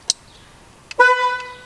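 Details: Car horn on Celta 1.0 tested during steering-wheel reinstallation, simulated without wheel fitted: two small clicks then one clean, steady half-second toot; horn working normally.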